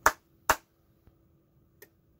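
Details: Original Clapper sound-activated switch: two hand claps, then a crisp relay click. Its outlets weren't actually switching, and the owner suspects a faulty relay inside.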